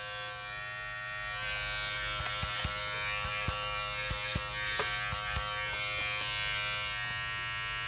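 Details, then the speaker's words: Detailer trimmer after its loose motor was reseated properly in the compartment (motor must not be clamped tight, or it strains; its slight shaft play is normal). Switched to position 1, it gives a steady, even high buzzing whine with light handling taps: normal running, problem solved. "Devidamente montado, problema solucionado, pode continuar utilizando a máquina sem problema nenhum."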